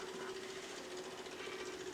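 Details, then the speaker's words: 1946 Willys Jeep after new fuse block fitted and wired: faint steady hum at one pitch with light buzz, no surging; electric fuel pump running normally. "there you go see you got your your fuel pumps working now it's nice and safe you know what I mean"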